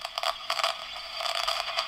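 Irregular scratchy crackles and fizzing bursts riding over thin radio audio, growing with gain: noisy breadboard contacts.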